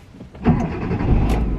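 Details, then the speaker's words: 2008 Kia Picanto Cosmo: cranks under half a second, catches first try and holds a steady idle; the one-start catch suggests a good battery (aki). Healthy engine start. "Nah, ini sekali setar nyala nih, berarti akinya bagus, cek dulu ya."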